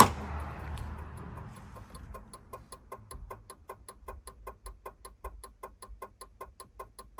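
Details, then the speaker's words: Peugeot 306 cabriolet, 1998–2000, won't start: engine off, sharp evenly spaced relay clicks about four a second while the alarm triggers and lights flash; relay chattering, cause unknown. "Ви, наверное, чуєте звук релі."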